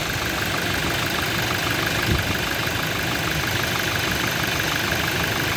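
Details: Toyota Innova at rough idle with an uneven knock roughly three a second under engine clatter and one heavier thud; internal engine knocking, cause undetermined.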